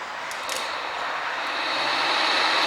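An even rushing whoosh that builds as the fan spins up, with no grinding or rattle; the fan motor runs fine.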